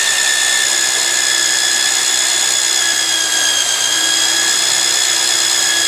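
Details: Magnetic drill used like a drill press, drilling steel plate with cooling lube; even high-pitched motor whine dipping slightly under load and recovering, clean steady cut, normal operation.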